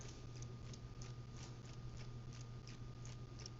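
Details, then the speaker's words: Aqara G3H camera audio heard through the Home app. A faint, even ticking about three times a second runs over a steady low hum in the background. Its cause is not known. "And one thing that you're going to notice right off the bat is that there is a small ticking sound that you may be hearing in the background."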